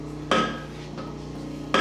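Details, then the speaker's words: Universal testing machine grips biting and pulling steel rebar in a tensile test, with loud ringing metallic bangs over a steady hum at nearly 75,000 pounds of load. "all right as you can hear it's really noisy what that's doing is it's grabbing a hold of that bar and it's pulling right now we're up to nearly 75 000 pounds of load"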